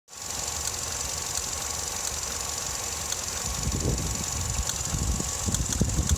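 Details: Vauxhall Astra MK6 petrol engine when warm: rough, uneven idle with irregular low thumping and shake under steady hiss; also shudders while accelerating.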